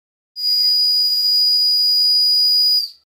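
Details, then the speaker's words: Tiny model steam whistle of unknown origin, the smallest owned, on compressed air: a piercing, steady high shriek held over two seconds, painfully loud. It is sounding properly. "it really is Tiny and the sound volume that it creates actually hurts my ears"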